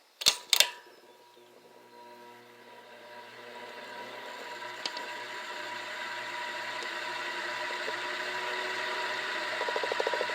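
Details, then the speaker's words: Hampton Bay Landmark ceiling fan switched on, spinning up into a rough, hissy whir with a thin steady hum; bearing noise after water from a kitchen leak partly locked up the bearings, owner considers oiling them. "so without further ado what I'm gonna do is that I'm going to turn the fan on just so you can listen to the bearing noise that the fan makes so here it is"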